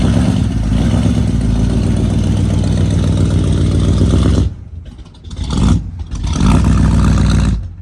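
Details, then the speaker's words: Barn-find Pontiac GTO V8 after decades stored, newly fitted with an HEI distributor: lumpy, uneven idle and sluggish blips; ignition timing sounds too low (retarded). "Time's too low. Time's way too low, sounds like."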